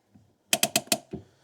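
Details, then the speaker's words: Renault Clio 1.2 16-valve, 75,000 miles: about five sharp ratchet clicks as the handbrake lever comes up, with a lot of free play; excessive lever travel, suspected sticking cable or a fault inside the drums. "has got a lot of free play, which suspects either the cable sticking. Can you hear it there? either the cable sticking or something inside the drums that's not quite right."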